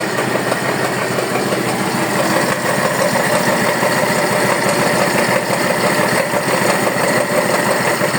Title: Neo 125, motor fazendo barulho